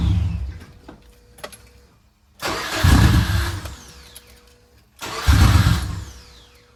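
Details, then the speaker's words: 2003 WRX hybrid engine at first start after fuel line reinstall: cranks, catches briefly with a rough burst, then dies, twice; won't stay running; owner suspects the injectors, 565 cc fitted versus map scaled for 1050 cc. "well she still doesn't want to stay on um I have a feeling it is probably the injectors"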